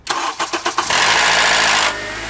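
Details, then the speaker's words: Engine with oil level full, cold start: a few starter cranks, then a harsh metallic rattle for about a second as it catches, easing into idle; a bad VTC actuator, which rattles only on startup. "and that noise was the perfect example of a bad vtc actuator it won't rattle like that the whole time it'll only rattle like that on startup"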